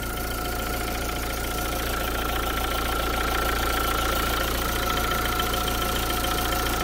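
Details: Renault Clio II dCi diesel left idling five minutes after alternator pulley repair: steady even diesel clatter with no squeal or grinding from the front of the engine, running clean.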